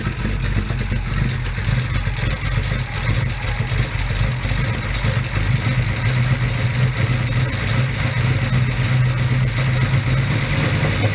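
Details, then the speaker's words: 1969 Camaro Pro Street V8 with solid roller camshaft and electric fuel pump, fires immediately, cold and warming up: loud deep idle with choppy lumpy lope and throttle blips; normal idle with cam lope. "car runs fires immediately runs very very well obviously got a good camshaft as mentioned a solid"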